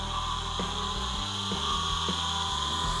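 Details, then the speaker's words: Old scrap forklift electric motor bench-run on low voltage (6 volts), being reused for an electric dune buggy: high siren-like whine over uneven rough grinding, pitch stepping as it spins free; motor works but sounds terrible, cause unknown. "It's a pretty sad state. This motor sounds more like a siren or something. It's really grinding. It's whining. Electric motors are typically silent, and this one sounds like something terrible."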